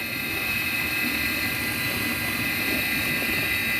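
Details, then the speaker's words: Midea dishwasher after the seized wash motor was freed (it had stuck because the water was gone), covers not yet refitted; bearing not replaced. Steady, even motor hum with a faint high whine and no grinding, rattle or knocking; the wash motor is running smoothly. "our problem already got called we resolved the problem machine is running now"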